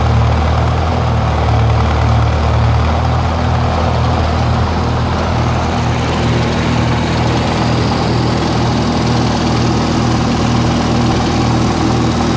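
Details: 1948 Lincoln SA-200 welder engine, long unused and revived with little work, now with a short stack with resonator pipe: a steady, low, even, quiet idle with a smooth regular beat and no knocks or misses. Normal idle.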